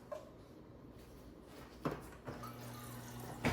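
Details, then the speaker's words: Maytag fridge after replacing water dispenser switch (water kept running after glass removed): a few clicks then steady low hum as water runs into cup; dispenser flows normally after repair. "There's the water. There's ice."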